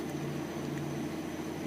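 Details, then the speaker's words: 1992 Mazda Miata 1.6 after water thermistor replacement (code 9) fixed an idle that drifted up and down: even, steady idle hum, rpm gauge not moving; engine sounds stable. "I keep it steady the gauge isn't even moving at all and the motor just sounds really stable"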